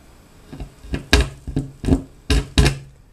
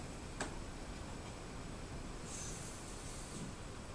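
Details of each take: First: Vintage 1960s Newcomb 1625M tube record player/PA amplifier: irregular sharp pops and crackles over a quiet hum; owner suspects a touchy, bad speaker connection and plans to clean it with DeoxIT; speaker crackle. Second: Vintage 1960s Newcomb 1625M tube record player/PA amplifier, about 50 years old, powered up through a series light bulb: filaments glowing, high voltage apparently present, only a faint steady speaker hiss with no hum or crackle; normal amplifier hiss.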